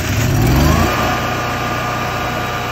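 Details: 2008 Kohler 12RES 12,000 W generator with 380 hours, previously surging and backfiring from loose carburetor bolts sucking air, after tightening them: catches with a brief rev, then an even, steady drone with no surging; it runs smooth.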